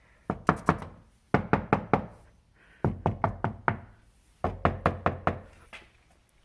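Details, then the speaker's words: 2014 Jeep Grand Cherokee WK2 diesel, about 50,000 miles: a knock test on the bare front door's inner panel, trim off and before deadening, gives sharp hollow knocks with short ring. The panel resonates slightly and has flat spots. "so it's also kind of resonating a little bit and there are some flat spots"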